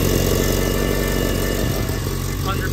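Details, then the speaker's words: Mitsubishi Evo 8 RS 4G63 turbo petrol on first cold start after three days, idling with a rough, puffing exhaust leak at the top of the manifold flange, where the gasket is blown out. "Let's see where that exhaust leak's coming from. I can hear it right there."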